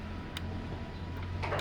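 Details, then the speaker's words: Toyota Vios that will not crank: a few sharp isolated clicks heard only from the blue starter relay, with no clicking at the starter solenoid and no cranking; worn carbon brushes not touching the commutator leave the starter circuit open. "Hanya kedengaran di sini nih, di relay-nya yang warna biru tuh. Kedengaran kan?"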